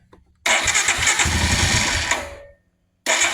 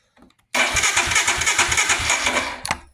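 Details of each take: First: 2022 Royal Enfield Himalayan single, just after fuel pump replacement for intermittent no-start from pump priming issue, primed several times: catches on second try, settles into steady even single-cylinder thump at idle; running healthy, check engine light still on. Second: 2022 Royal Enfield Himalayan with intermittent no-start, sat overnight, fuel pump connector unplugged to relieve pressure before pump replacement: starter cranks about three even beats a second for two seconds, never fires; no fuel delivery, as intended.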